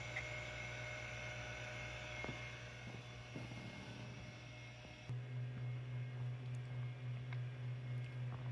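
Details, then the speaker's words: Macintosh II SCSI hard drive hooked to a G4 Quicksilver SCSI card under Mac OS 9; only quiet steady platter whir, no seek chatter or head clicks, and the drive would not mount. Spins but does not seek. "So my G4 would not mount the drive, and I did not hear anything but the platter spinning. No disk reads or anything like that."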